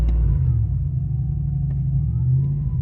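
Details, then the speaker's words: Third-generation Hemi V8 in lightning-bolt limp mode, throttle floored: low steady drone never climbing past about 2000 rpm; owner says this indicates a bad throttle body (idle air control valve, throttle position sensor), unconfirmed. "it barely gets up to 2. That is the lightning bolt of death, as you can see. That is a key indication that you have a bad throttle body, which has 2 sensors in it: your idle air control valve and your throttle body positioning sensor."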